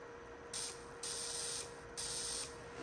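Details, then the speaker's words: CO2 laser high-voltage cable wrapped in regular electrical tape, moved closer to ground wire, fired via power supply test button: three sharp crackling hiss bursts over faint steady tone; high-voltage arcing through failed insulation. "All right, now if I move the cable a little bit closer, now you can hear the sparking noise."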